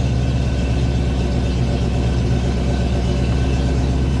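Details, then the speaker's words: Project 4TO8 V8 car, newly built, started again after its first fire-up: deep, steady idle with an even rumble and no knocks or misses, then revved a little; check engine light on but it runs well. "check engine light on but that's pretty amazing guys rev it up a little bit so you can hear it not too bad at all"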